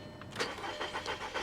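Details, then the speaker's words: 2013 BMW 328i at a salvage auction, listed as start-not-drive: short uneven bursts of starter cranking about three a second with a little throttle, never catching; crank, no start. "give her a little gas nope that didn't sound good either come on old girl come on"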